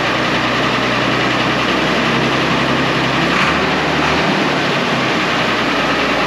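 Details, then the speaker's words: 1970 International Harvester 1456 Gold Demo barn-find diesel tractor, first start in 14 years: steady, even diesel clatter with a deep, settled rumble and no misses or knocks; the oil pressure light goes off, so it is running normally. "a okay it runs it's awesome"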